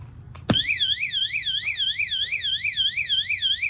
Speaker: My bike's not too happy about me trying to take it. You see, it's making all different types of tones.